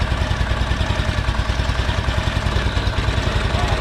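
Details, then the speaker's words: Briggs & Stratton overhead-cam twin engine, started; low loping idle with uneven thump roughly every second, no smooth rhythm, owner says it doesn't sound good, cause unconfirmed: rough running. "All right, let me back you guys up a little bit, and we're gonna start it up, see how it sounds anyway. That don't sound good."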